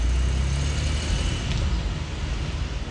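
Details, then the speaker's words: Car rolling back and forth in a driveway after replacing worn-to-metal brake pads: low steady engine rumble with no squeal or grinding on braking; brakes feel much better and are quiet. "brakes feel way better it's crazy it's like a whole different car alright so for a test drive the brakes feel good no noise"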